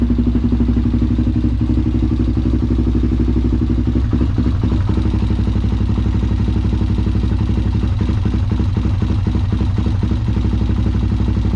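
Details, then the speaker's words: Honda 400EX ATV that sat for years, ridden hard, new carburetor fitted: single-cylinder idle with a lumpy, stumbling beat, about four pulses a second with skipped or weak ones, better than before but still missing; misfire at idle. "got a bit of a Miss in there doesn't it definitely better than what it [Music] was certainly hear that Miss"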